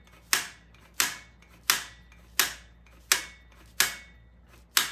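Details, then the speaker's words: 1975 Norton carburetor idle adjustment, screwdriver held on the idle screw: sharp single ticks about every 0.7 seconds as the slide just touches the idle stop screw, used to find the contact point by sound and feel. "So you can actually hear the slide hitting if you just hold the screwdriver on the end like that. You can feel it."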